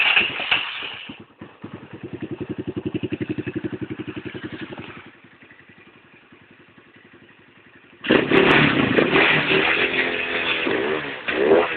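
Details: 250cc D7 after misfire fixed by crimping down a loose clip: even, crisp exhaust pulses as it revs and settles, no stumbles or popping; firing cleanly now.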